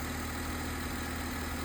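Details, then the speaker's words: 2006 Mercedes SLK280 after crank-no-start fixed by cleaning corrosion off the ECU circuit board and clearing codes; steady even low idle, no misses, stumbles or knocks. "Plugged it all back in, cleared the codes, and it fired right up. I am so happy."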